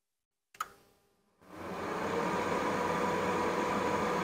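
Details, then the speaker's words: Reznor UDX 75 gas-fired single-stage unit heater, thermostat switched to heat, no gas connected: one click, short pause, venter (inducer) motor spools to smooth steady whoosh; normal pre-purge start. "now that we have this turned to heat the venor motor has kicked on and it's going through its pre Purge cycle"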